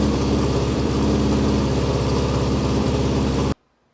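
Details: Porsche flat-four with megaphone exhaust, will-it-start check: deep, loud, steady exhaust burble held evenly about three and a half seconds before cutting off; running cleanly.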